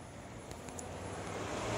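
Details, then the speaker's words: Electric cooling fan under PWM control by a Holley Dominator ECU (Corvette fan controller, 128 Hz fixed), duty cycle raised from 10 to 75 percent: steady whooshing air rush builds gradually, no ticking or scraping; fan running strong. "so let's take those zeros or that 10 percent and let's change that to 75 percent"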